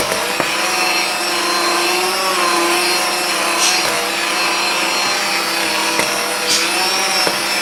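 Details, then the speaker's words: Stock Aldi Ambiano cordless hand mixer on speed two in thick batter: steady electric whine sags and drops in pitch as beaters drag; the motor is really bogging under load, motor slightly warm. "right it's speed two you can hear it's really bogging it"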